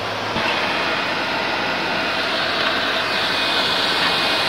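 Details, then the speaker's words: PS4 Slim with an overheating problem, before disassembly and cleaning. Loud, steady rush of air with a high hiss and no pitch change, the fan at top speed because of overheating; an overheating message is expected shortly. "the fan is exceeding its speed and it is on top speed now after a short while it will give a message of overheating"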